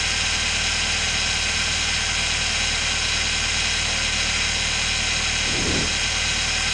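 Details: Engine idling after a slipped drive belt (alternator not charging, overheating) was replaced with a spare belt and the viscous fan clutch was removed: steady even idle under a loud hiss, no knocks or belt squeal; normal.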